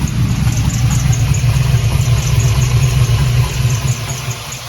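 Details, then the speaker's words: LS-swapped Oldsmobile Cutlass G-body V8 at idle with one muffler off: loud lumpy idle with faint high chirps about four times a second; squeak under the hood, source not yet found. "hopefully y'all can hear that in the video the squeaking"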